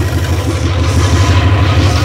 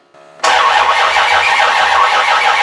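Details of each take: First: 360 Magnum V8 on run stand, first run, timing set to 13° BTDC initial after backing off for slow starting: even steady low idle, smooth firing, no knocks or misses; normal idle, minor drain-plug and freeze-plug leaks noted. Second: Rebuilt 360 Magnum V8 on run stand, first start attempt: two long cranking bursts, starter whirring steadily with no catch; no ignition spark because no 12 volts was wired to the coil positive side.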